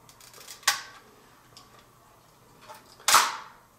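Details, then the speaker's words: Mamiya M645 1000s film camera bought for parts, fresh battery installed: two crisp clean shutter clicks a few seconds apart with no drag or hesitation; the shutter fires normally, no fault found. "I can't see anything that's that's wrong with it the shutter fires just fine"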